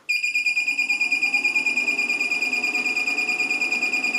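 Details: LaCie Biggest FireWire 800 enclosure, bought used, no drives fitted, power cable swapped: shrill high beep repeating about three times a second as it keeps cycling power and never starts, fan at full speed; cause not confirmed.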